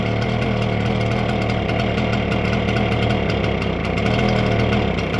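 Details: Stihl BR350 backpack blower two-stroke after fitting a new carburetor: loud, steady drone holding even speed with no misses or surging; running normally.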